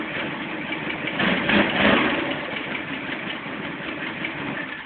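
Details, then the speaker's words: 2008 Arctic Cat Thundercat 1000 twin, used, after new starter install, battery about 12-13 V: catches quickly on the button, first time in 3 months, and settles into an even twin idle with no starter grinding; healthy start. "the first time in 3 months that it's done that."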